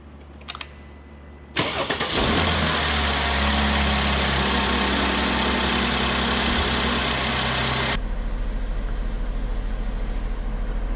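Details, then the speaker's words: Crash-repaired Mercedes-Benz GLK350 with new aftermarket parts, restarted while warming up: quick crank, catches at once, brief flare then smooth even idle with no misses or ticking, temperature climbing, revs good; normal start and idle. "Car is building up temperature. Now I get to plug in my little computer. Where the hell's the OBD? Can't see a damn thing. Okay, temperature's still climbing. Revs are good."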